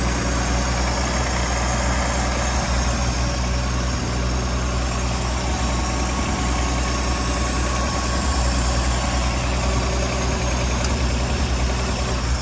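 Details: 1965 V8 after turn-signal switch and wiring repair, idling on choke after start: steady, even idle with a smooth low rumble, no misses or knocks; later just over 190 degrees, charging 14 volts.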